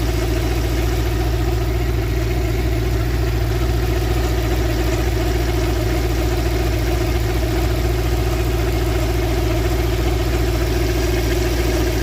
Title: bruit moteur (poulie du bas?)